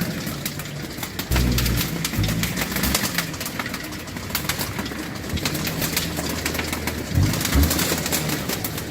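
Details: A car engine running with fast, uneven slapping ticks as a loose shredded strip whips around: the auxiliary belt is split and disintegrating.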